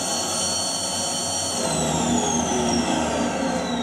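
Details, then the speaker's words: Household vacuum cleaner that worked fine last time: motor whine holds steady, then sags in pitch with uneven airflow; weak suction and an abnormal sound, cause unknown. "I changed slightly that time there's a little bit of suction I don't know what's wrong with it because it worked fine there last time I used it okay so as this is not working properly"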